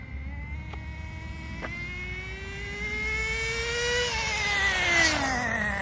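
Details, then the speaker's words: Team Associated Nitro TC3 1/10 RC car: small nitro engine screams steadily higher with no rpm drop, never audibly shifting; possibly stuck in second gear, smooth shifter hard to hear. "I did not hear it shift at all, so it might be stuck in second gear."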